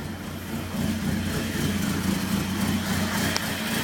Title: Rough Idle